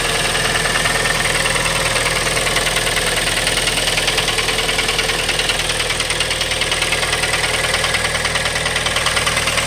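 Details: 2012 Kia Forte petrol engine idles steadily with a fast, even tick through the upper-range clatter; no oil leaks, cause unknown.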